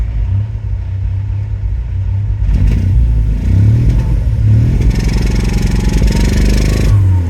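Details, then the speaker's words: Ford Focus RS, bought as non-running, revving: an uneven, lumpy note that breaks up like a wet fart. The owner suspects misfires, possibly a bad head gasket, and is unsure of the cooling situation. "it's we definitely are fighting probably some misfires."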